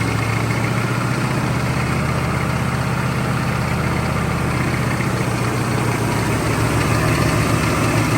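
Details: Long-stored CUCV squarebody Chevy diesel: a rough idle with a deep, uneven knock three or four times a second from a worn rod bearing; copper bearing material was found, and it spits radiator water when revved and smokes from the oil fill.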